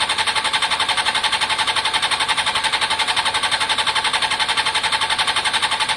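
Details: Honda CBR600 F4i non-runner, accident-damaged, after injector cleaning with cleaner and fresh fuel: steady starter whirring pulses about three a second, no firing or catch. Owner hears no fuel pump prime and suspects fuel delivery.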